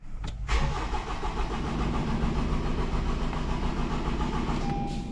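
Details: Honda CR-V with fault codes P0203 and P1043 for the number 3 injector: the starter churns steadily at about three and a half turns a second but the engine never fires, a crank no-start caused by a shorted injector.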